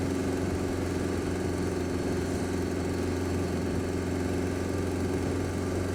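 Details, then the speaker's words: Honda Fireblade at idle: faint light "tit-tit-tit" tick riding over the engine note, worse when cold, quieter but still present when warm; source unknown, owner asks for ideas; engine ticking noise. "Can you hear that? Now listen. Like, tit, tit, tit, tit, tit, tit. That's not normal."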